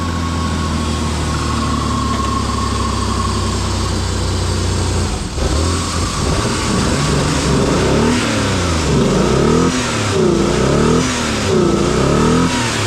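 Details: Ford Explorer (2000 or 1995) with a bad oil pressure sending unit, after a found-unplugged fault was fixed: the engine climbs and falls through repeated throttle blips without stumbling; it now revs cleanly and evenly.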